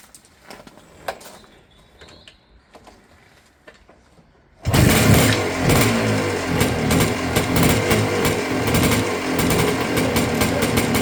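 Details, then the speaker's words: 1980 KDX 250 A1 two-stroke, first start after a near-full restoration with the engine repainted: it catches first go and runs a crisp, even ring-ding with a puff of smoke from a strong oil mix. Normal start and idle. "That's my KDX 250, and a really nice puff of smoke."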